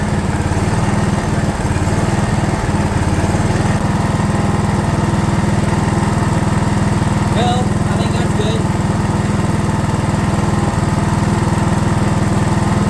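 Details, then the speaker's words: DR all-terrain mower with Kawasaki FV420V engine, revived after sitting for years; carburetor jets cleaned with brake parts cleaner in place. Even, steady small-engine beat at constant speed with no missing or surging. Runs smoothly. "[Applause] all right well that's just a Kawasaki engine for you they don't care they just run"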